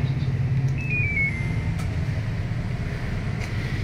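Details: LG automatic washing machine that would not drain or spin, tested after replacing the drain motor, door lock bypassed: steady low motor hum with light whirr as drum speeds up; smooth, clean spin start, nothing grinding.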